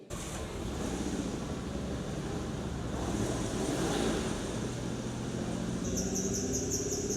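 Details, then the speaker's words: Nissan Skyline R33 petrol engine idling at a classic car auction: faint high chirping squeak over the idle, an auxiliary accessory belt squeak, otherwise sounds good. "Little bit of a auxiliary belt squeak, but sounds good."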